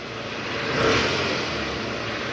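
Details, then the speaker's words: 2008 Toyota Harrier, about 185,000 km, AC on, in reverse, revved around 1000 rpm after replacing the worn tensioner: smooth rev blip settling to an even hum, the earlier growl from the tensioner gone; balancer shaft still to be replaced. "gas gas oke udah enggak ada bunyi ngoroknya ya Coba lagi [Musik] gas gas Oke sip suara ngoroknya udah hilang tahan yang tadi penyebabnya benar dari Tensioner guys"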